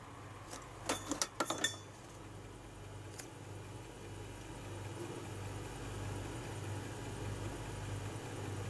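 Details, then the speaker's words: Salvaged-parts Atari ST booting Operation Wolf from a fresh boot: quick cluster of light head-step clicks, then a soft motor hum that builds; the floppy drive is reading normally. "i can hear it reading i can definitely hear it reading"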